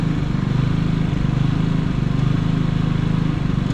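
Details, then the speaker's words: Harbor Freight Predator generator with many hours. It began surging after running a week straight and running out of gas. The engine drone rises and falls unevenly about once a second and misses, and gets worse under load. The cause is a misadjusted idle stop screw. "yes she not running right guys she's clearing up but she's like missing and stuff there it goes it's doing it it ain't running right"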